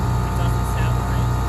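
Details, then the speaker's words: New ACiQ 5-ton commercial gas/electric packaged rooftop unit at first start-up in cooling mode, with air still ambient: a loud steady low drone with fast even pulsing and no normal compressor note. The scroll compressor is running in reverse, fixed by swapping two line leads (L1 and another). "Doesn't sound normal. Right. The compressor."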